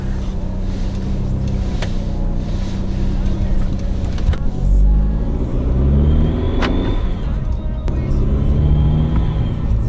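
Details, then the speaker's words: Mercedes C250 (W204), first start after installing a Turbosmart Kompact blow-off valve and boost tap, with the charge pipe accidentally left off: a hollow rushing whoosh rises and falls with revs, a boost leak, and a fault code was thrown. "That doesn't sound right. Oh boy. Okay, that was super dumb. I had the charge pipe still off and it threw a code."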